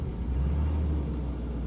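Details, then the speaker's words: 1989 Jaguar XJ6 Vanden Plas, not started for years, first start on new battery: low, steady rumble with even beat, no knocks or misses; runs smoothly, though exhaust pipe needs attention. "fire is right up boy come on baby oh listen to that huh"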